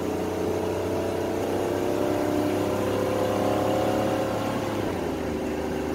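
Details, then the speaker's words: 1987 Chevrolet Celebrity Eurosport 2.8 V6 at 235k miles, after vacuum modulator replacement and a one-turn firmer adjustment: under acceleration the engine climbs and drags before a late, soft shift, still slipping in second; fluid possibly low, not confirmed. "all right now we made our adjustments let's see how she shifts still slips in second"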